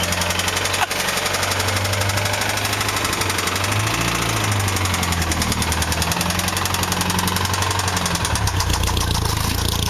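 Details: Honda S2000 petrol engine idling: rapid, steady metallic knock tied to engine speed, a rod knock.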